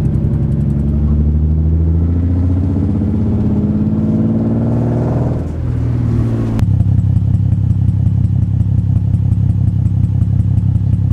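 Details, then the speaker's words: Nissan 350Z after replacing the VVT solenoid, codes cleared: idle after revs drop has an uneven stumbling pulse about three beats a second; still misfiring, runs better, random misfire and sensor codes remain; cause not confirmed. "bad news guys it's still misfiring the car is not fixed"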